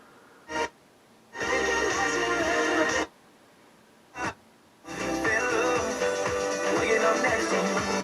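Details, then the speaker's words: Technics SA-500 receiver from 1978 in for a full service, bench-tested warming up before power test: strongest FM station comes in clean with silent gaps between stations, tuner receiving properly; dial alignment slightly off by about a megahertz. "it's the strongest station here and it's all working good"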